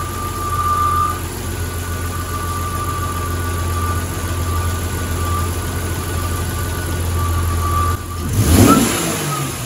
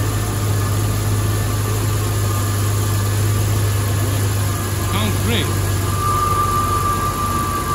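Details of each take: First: 1994 Jeep YJ after ECU repair, idling with two throttle blips: runs well with a faint thin whine the owner believes is from the alternator. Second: 1994 Jeep Wrangler YJ after ECU repair, cooling system topped up with water: steady even idle with a smooth low hum and a faint whine, which the owner believes comes from the alternator; runs well.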